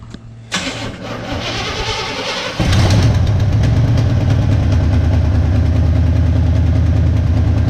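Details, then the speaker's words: 1975 GMC Sierra 1500 V8, cold, starting on its own for the first time after sitting: it cranks, catches and settles to a lumpy idle with a sharp steady tick about three per second from a rusted-through exhaust header tube leak. "Starts up, idles. Other than that exhaust leak, it sounds halfway decent."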